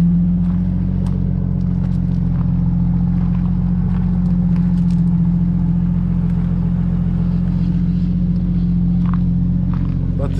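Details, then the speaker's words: Jeep Cherokee started after sitting, smoking heavily. Loud steady idle rumble with a faint fast ticking puff from down low at the exhaust. Exhaust manifold leak. "clearly has an exhaust leak right down there"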